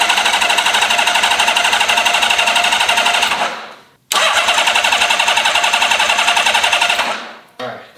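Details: Honda CBX inline-six, first start attempt in 20 years after full carb rebuild: two bursts of even starter chugging at about four beats a second, each dying off without firing; cranks but won't start. It later ran after adding fuel.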